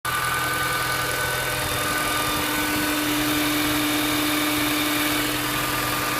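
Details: Mini Cooper S with engine warning light on; steady idle with a fast, uneven ticking chatter over the engine note: abnormal engine noise, cause not pinned down.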